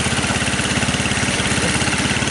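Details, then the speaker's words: 150cc GY6 engine on a Hammerhead off-road go-kart, cold start without throttle: the small single-cylinder putters at a steady, even idle with no misses and no smoke. The engine runs well, though the rear drive bearings have failed. "Oh, good. Started without giving it gas. So you guys could hear it starts, it runs, right?"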